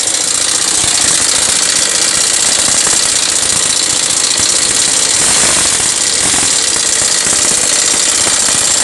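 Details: Yamaha SZ 150 single: loud busy metallic top-end clatter at idle persists even after timing chain and tensioner were replaced; oil level still present, cause not yet found.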